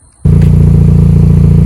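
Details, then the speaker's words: 2009 Pontiac G5 GT after VVT solenoid replacement, freshly started: engine settles into a steady, even idle with no stumble; before the repair it surged at idle and sounded like it had a misfire. "i don't know if y'all can hear the difference but this thing was surging at idle definitely sounded like it had a misfire idle it well sounds so much better"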